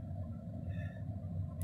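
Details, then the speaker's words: RV furnace blower fan kicking on after the thermostat is turned up, following a fix for gas that would not ignite, a sticky sail switch suspected; quiet steady whir with no rattles; normal blower operation, warm air then follows. "let's see what happens are you listening oh there goes the fan"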